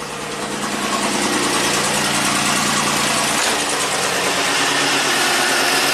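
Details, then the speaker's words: 1990 Buick Regal GS V6 with low power, idling: a rough, lumpy stumble about three times a second with the engine shaking. Misfire, believed to be on a rear cylinder; two injectors are not firing. "now I'm sure we have a misfire on one of the rear cylinders because the plugs fed out"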